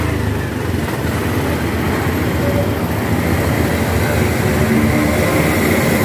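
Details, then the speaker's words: Honda Beat scooter that died when throttled (TPS sensor fault code), after TPS replacement and reset: picks up cleanly and holds a steady rising rev with no stumbling or cutting out; throttle response now normal. "perhatikan di sini teman-teman di sini juga ketika kita gas dia naik ya kita ulangi lagi kita hidupkan harusnya dia enak kalau pas di depan"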